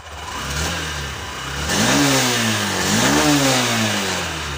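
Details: Honda SP BS6 motorcycle, 3381 km, after repair of missing, starting trouble and stalling on throttle; two clean throttle blips, revs rise and fall smoothly back to an even idle without stumbling, problem fixed, running properly.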